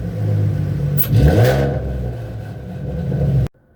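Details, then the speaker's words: 3.7L Cyclone V6 Ford Mustang, just fitted with BBK 73mm throttle body and Air Raid throttle body spacer, plus cold air intake, BBK X-pipe, MagnaFlow dual exhaust and SCT X4 tune: revving brings a new faint airy intake whistle, more air coming in; normal. "So there you hear it. It definitely has a new whistle to it, so definitely got more air coming in."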